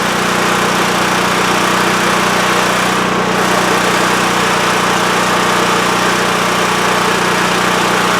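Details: WEN TF1450X 14500W tri-fuel generator that used to lose spark and die after 20 seconds, after repair: steady even drone past 20 seconds, no surging or dropouts; fixed, running normally.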